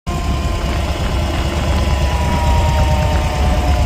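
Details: 2010 Harley Dyna Street Bob Twin Cam at idle: lumpy V-twin beat with thin steady whine and loose uneven rattle, seemingly from the primary side; cause suspected, not confirmed.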